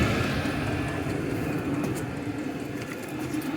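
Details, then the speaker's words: Vevor all-in-one diesel heater in a garage, first test running: fans revving up and blowing very hot air both ways, a steady fan whoosh with soft hum and faint light rattle, no surging. Normal running. "all the fans are revving up and it's starting to put warm air in the hotw is going both ways"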